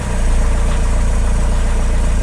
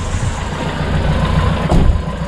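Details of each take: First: Diesel Opel/Vauxhall Vivaro that wouldn't start: the fuel priming bulb had a hole. Hand-primed with a thumb over the hole, it cranks and settles to an even idle with steady low pulses. The leaking priming bulb was starving it of fuel; bulb and line to be replaced. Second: Vauxhall Vivaro diesel van after a temporary fix to a holed fuel priming bulb and fuel line: catches after a short crank and settles into an even, steady diesel clatter at idle, out of gear, with no misses. Running normally.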